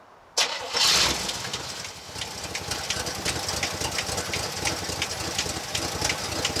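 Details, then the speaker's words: 1965 Chevy C10 pickup at start-up, low on fuel in the float bowl: a sharp, fast, regular light top-end ticking and tapping rides over the idle. The owner suspects the typical Chevy tick; the cause is not confirmed. "going you want tell me what you notice I hear clicking Dakota I do here tapping as well"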